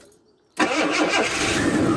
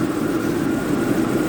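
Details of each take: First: Engine with intermittent starting problem, morning start: silence, then it catches and settles straight into a steady idle; owner suspects a stuck fuel valve or regulator causing no-fuel cranking when it fails. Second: Jaguar with intermittent cold-start problem after overnight cool-down, owner suspects fuel pressure regulator; started fine this morning, steady even idle hum with no misfire or stumble; normal idle.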